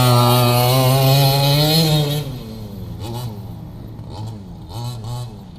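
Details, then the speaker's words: Redcat Rampage XT RC monster truck two-stroke after new carb, NGK plug, power switch and washer-fixed pins: high buzz climbing smoothly, revving bursts while driving; running pretty good. "we've got a few things fixed it's running pretty good"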